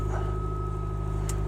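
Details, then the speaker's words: 2011 Mitsubishi Lancer Sportback ES, about 225k km, cold start at -12°C with door open: a thin, steady high belt squeal over a low cold idle since a lightweight crank pulley was fitted, tapering off as it warms. "ever since I put the lightweight crank pulley on it's got a little bit of a line to it when it's warming up but it tapers off eventually"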